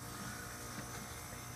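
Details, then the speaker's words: Geothermal heat pump with a replaced compressor after reconnecting a loose wire in the Molex plug that prevented second stage: steady low hum with even electrical buzz, no knocks or rattles; compressor now running in second stage, amps rising as it starts. "now we have high stains now we're looking a little better a little higher on the amp"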